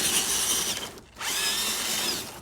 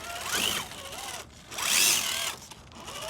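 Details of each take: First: Axial SCX10 III RC crawler with SX107 servos and two-speed transmission (first and second gears close together), running in reverse: high whirring motor whine that dips and picks back up with throttle, no clicks or grinding; healthy drivetrain. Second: Axial SCX10 III crawler with Spektrum SX107 servos, two-speed transmission, running in first/second gear outdoors: high whining motor and gears rising and falling with each throttle burst, with an unusual different gear noise; cause unclear; transmission gear noise.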